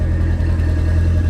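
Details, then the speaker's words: Lancia Delta after rebuild following front-end damage, one valve follower with extra clearance: smooth, steady low idle with even beat, only an occasional light ticking; running better than ever. "sounding better than it ever has I think I I can see why the neighbors were a bit annoyed with that noise"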